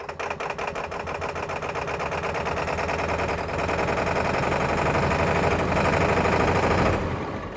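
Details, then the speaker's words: Ford F350 diesel with a crank-no-start fault, now running after the fuel tank and fuel bowl were cleaned, with low fuel. The idle clatter has an uneven, hunting beat, as if starved of fuel. "At least it's running. It's running. It's running rough."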